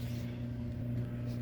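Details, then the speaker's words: Prewar Lionel 226E O gauge steam locomotive with a pancake motor: a steady low buzz with a faint hum comes from the armature shaft spinning in a dry phenolic bushing. The bushing has absorbed its oil and needs lubrication. "And she gets dry. And next thing you know, that thing starts making this. It's like a vibration noise because it needs to be lubricated."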